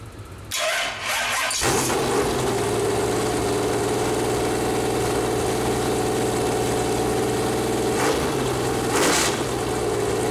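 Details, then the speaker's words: Restart of a freshly built Chevy Performance 454 big-block V8 on a run-in stand, powered from a Chevy truck: about a second of cranking, then a smooth, even idle with no misfire or knock. Normal start and idle; ran about 30 minutes, burning off header paint. "well all right so that's the first fire up of her got all the header paint about burned off now if you probably run for around 30 minutes"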